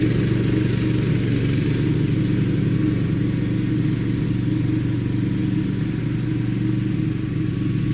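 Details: Craftsman LT2000 lawn tractor, unused about 6-8 years, running after deck belt replacement: steady, even engine drone with smooth low beat, no knocks or misses; healthy running.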